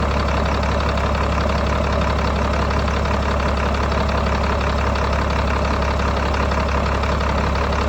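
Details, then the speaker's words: 1995 GMC TopKick cab-chassis truck with a Caterpillar diesel, first start after acquiring it: even, steady idle clatter with a firm low rumble and no knocks or misses, a little exhaust smoke, good oil pressure; healthy idle. "It's got a little smoke to it. Sounds good. Sounds filthy."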